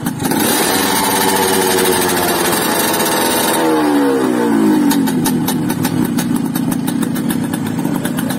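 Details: Yamaha RX-King two-stroke motorcycle (stated as 2006 and also as '94), sluggish from overly extreme porting, first start after the repair. It fires up, revs, then settles to a crisp, ringing, steady, even idle; it sounds healthy.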